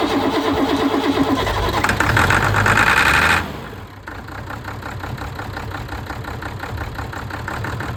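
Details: Ford tractor diesel, which had revved and died and then would not bleed, now idling. Steady clatter at about three pulses a second, unbroken, no stumbling; normal idle.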